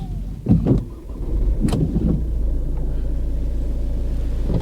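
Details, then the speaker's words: 2010 Volvo V50 diesel, cold freezing day, very low on fuel: brief cranking then catches into a steady, even idle with no knocks or misses; sounds healthy. "I mean it sounds all right very low on fuel"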